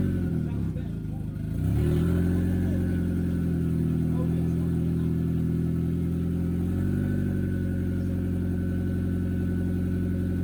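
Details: CA18DET-swapped JDM Miata first proper start after vacuum leak capped and coolant added; steady even idle with smooth low hum and a short rev rise near the end, slight smoke burning off; cold start problem solved, normal idle.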